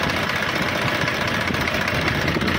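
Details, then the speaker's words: HMT 3522 tractor diesel, warm, after a blown head gasket repair and oil change, idling while water is poured over it: steady, even idle with a dense, consistent clatter and no misses or stumbles; running smoothly. "Perfectly tractor ready हो गया है और इसका firing वगैरह कैसा है दोस्तों तो मेरे को कमेंट में जरूर बताए"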